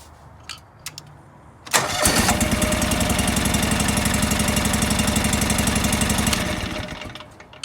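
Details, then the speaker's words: John Deere 445 during misfire diagnosis, running on one cylinder with the other plug pulled: steady, even beat about four per second with no misses; that cylinder fires every time. "yup i can hear it hitting every time"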